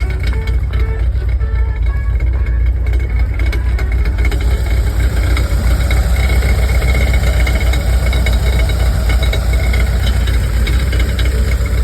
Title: Any ideas what might be causing this rattling sound? Coming from the exhaust area